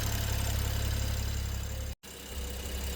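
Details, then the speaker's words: BMW N55 with misfires and suspected head gasket, about 5 minutes idling after adding 500 ml head gasket sealer, still cold: low, even idle with steady pulse, no stumbles, short dropout; pulsing gone, faint smoke, idling better than before. "The pulsing seems to have gone away. Like there's faint smoke coming, maybe because the car's warming up, but it's idling much better than before for now, probably because it's still cold."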